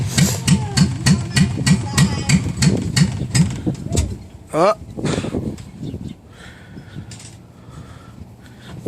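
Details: Dodge Ram truck on a cold day of about 30°: long steady cranking at about three turns a second that never catches; a cold hard start.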